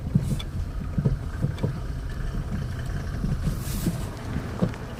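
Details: Kia Rio JB driving: irregular dull low thumps every half second over wind and road hiss, a suspension knock suspected to be the stabilizer bar bushings and control arms, not confirmed.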